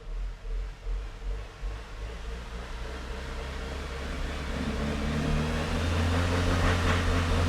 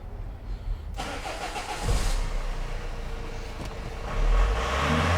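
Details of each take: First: 2002 Renault Master 2.2 dCi, no engine light or codes, black smoke; starts and idles fine but under full throttle revs climb slowly and flatly, labour and won't pass 2,500 rpm. Loss of power suspected to be from a faulty EGR valve. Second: 2002 Renault Master 2.2 dCi with no power, no codes and heavy black smoke, after a connector was plugged back in. It catches within a second, idles evenly and revs cleanly with only a little black smoke. The EGR valve is suspected still clogged.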